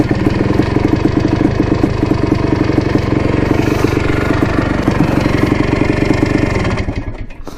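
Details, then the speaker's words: 1987 Yamaha YZ 490 two-stroke after repair, on a test ride: crisp, rapid crackle holding steady under throttle without bogging, sounding much better and cleared out; normal running, though the clutch slips slightly. "things sounds much better definitely cleared out a lot more"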